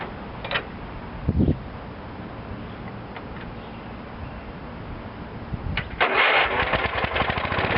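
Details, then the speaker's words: 1989/1990 Wheel Horse 312-8 Classic garden tractor, not run for 4–5 years, with oil squirted into the cylinder: a few cranks, then the single-cylinder fires and settles into a rough but steady run; it runs, on old fuel still to be drained. "okay she's a runner"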